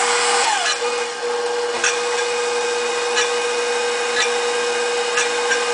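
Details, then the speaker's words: KitchenAid Professional 550 Plus stand mixer (KV25MEX, 575W, 5.5qt bowl) after bowl-height adjustment: an even motor hum with a light rasp about once a second as the whisk brushes the bowl wall; clearance now set right. "a little bit of that rasping on the side of the whisk, which means that, you know, obviously the whisk is touching the side a little bit better."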